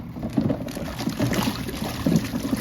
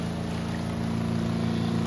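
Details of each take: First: Costway Giantex portable washing machine agitating on a 6-minute wash: sloshing water with irregular dull knocks. The clunking is the loose lint filter banging around. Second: Costway Giantex spin dryer on a 2-minute spin with two items, water draining out: steady low hum with a couple of fixed tones, louder while the basket builds up speed, then quieter; a normal spin-up.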